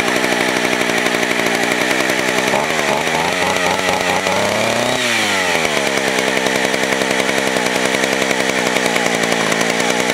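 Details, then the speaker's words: Vintage West German Stihl 041AV 61cc two-stroke chainsaw, sat a year with stuck rings, smokes badly, 20-inch bar; loud raspy scream sags while cutting wood then climbs back to full revs; strong, normal running under cutting load. "I'm going to fire it up um you guys show you how how it runs it is [ __ ] loud like crazy"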